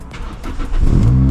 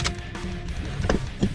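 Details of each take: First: Toyota Celica 2ZZ with high idle bouncing 1,800–2,000 rpm: engine catches and holds a steady, raised idle despite cleaning the idle air control valve; IACV looks like it needs replacing. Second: Toyota Celica 2ZZ after idle air control valve cleaned and refitted: steady, fast, even cold-start idle around 2,000 rpm with no hunting, normal and expected to drop at operating temperature.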